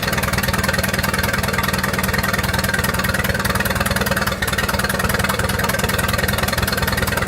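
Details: 1928 Farmall Regular tractor engine idling after carburetor tweaks, spark advanced about halfway: a steady, even firing beat of about 200 per minute with no misses or knocks. Smooth, healthy normal idle.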